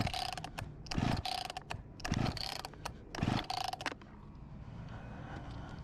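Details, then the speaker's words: Discarded Husqvarna 254 G chainsaw, freshly refuelled, filter OK, no start-throttle lock: three pull-cord rattles about a second apart with really good compression, but no pop or firing. Cranks but won't start. "Time to give it some fuel and see if it runs A little bit more Doesn’t seem there is a way to lock it with some start throttle Compression is really good"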